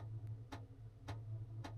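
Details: Chinese diesel heater in a van, kept as a backup while fitting a Truma D6E diesel heater: crisp steady tick about twice a second over a low hum, the dosing/fuel pump working normally.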